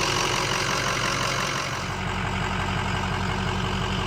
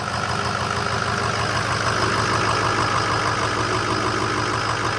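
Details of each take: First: 2005 Ford F250 6.0 Powerstroke diesel after repair of front-of-engine vibration: even, steady idle with usual light injector clatter, no shake or rhythmic rumble; vibration gone, much quieter. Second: 2005 Ford F250 6.0 Powerstroke diesel at idle, fan off: steady clatter with a deep, even rumble underneath, still heard without the fan; bearing play is felt in the water pump, so the finding is water pump bearing rumble.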